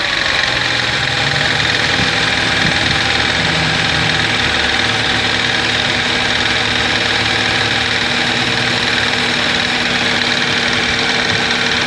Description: no se sabe de qe o donde es el ruido ...el motor no falla ,enciende bien ,regula ralenti bien ...